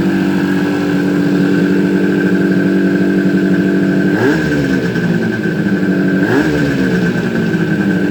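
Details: Suzuki GT250 two-stroke motorcycle, first start after rebuild: even, steady idle with a couple of quick throttle blips that rise and settle cleanly; normal idle.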